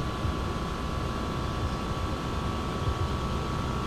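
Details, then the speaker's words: 2004 Lexus GX470 after replacing the leaking driver rear air spring: the air suspension compressor runs with a steady mid-pitched hum and buzz while raising the vehicle to ride height. It runs normally, with no leaks heard. "so hopefully you guys can hear this you can hear the compressor here take and the airbags coming up"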